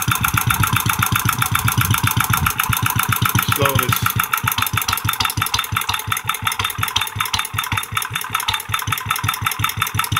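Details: Antique Clinton single-cylinder engine converted from vertical to horizontal shaft, hot, at slow idle: slow, even thumps at a steady unhurried beat with no misses; clean slow idle.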